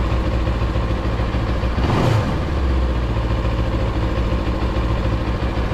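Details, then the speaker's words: Motorcycle TFT dash cowl at idle after siliconing bracket screws, finger-tight: steady idle thrum, rattling buzz gone, cowl still vibrates slightly but quiet. "barely hear any noise out of it much better still vibrate see that the design still vibrates but it's not as no e it doesn't sound anything like before"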